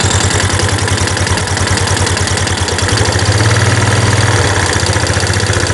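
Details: Yamaha Jupiter Z1 with rough engine noise and top speed only 60-80, heard louder with the engine breather opened: loud, uneven idle with coarse chuffing low rumble around two to three beats a second; cause unclear.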